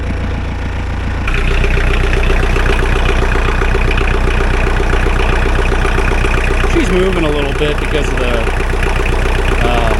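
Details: Mahindra 4110 tractor diesel, after repair of an overheating-blown head gasket, new part fitted and coolant treatment added; test-driven 3–4 miles with no leaks. Steady, even clatter about four beats a second, no misses or knocks: normal running.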